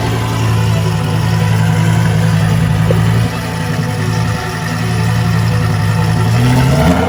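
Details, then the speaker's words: Lamborghini after engine and transmission reinstall, first start: loud deep idle that sags and recovers instead of holding steady; hunting idle due to throttle body code, throttle body needs recalibrating. "Alright, so I'm trying to start the car right now, and sounded a little ugly because it's throwing a code for throttle body. So I gotta recalibrate the throttle body, so it's kind of chasing idle right now."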